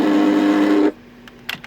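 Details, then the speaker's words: 2005 Audi A8 sunroof noise: rough, buzzy motor drone under a second then cuts off, from the wind deflector motor, exposed with the trim removed. Wind deflector adjustment/tolerance issue; fix options include disconnecting the motor. "now the source of this noise that you have is that motor"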